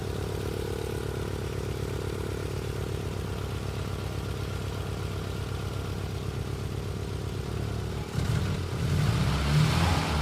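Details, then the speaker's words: Nissan 200SX S12, 40-year-old single overhead cam turbo engine, idling with an intermittent cylinder 2 misfire: uneven stumbling rhythm with a missing pulse, occasional ping from that cylinder, throttle blip; cause not yet confirmed. "Sadly, number 2 is not magically coming back to life."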